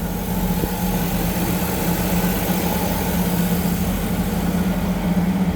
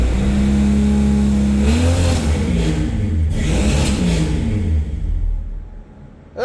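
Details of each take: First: 1962 Ford Falcon with a 200ci inline six, T5 swap and Holley Sniper, first start after 8 months: steady, even low hum with no knocks, misses or ticks. Smooth, healthy idle, though the air-fuel ratio later reads rich at 9.8. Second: 1962 Ford Falcon with 200ci six, T5 swap and Holley Sniper EFI, first start in 8 months, no exhaust yet: lumpy, uneven revs rising and falling, then it stalls. Air-fuel reads 9.8, running very rich.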